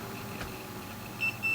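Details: Rowe-AMI R88 jukebox getting an LED party-mode mod: a multimeter gives a short high beep, then a longer steady tone as the probes touch the wiring terminals, confirming continuity in the circuit.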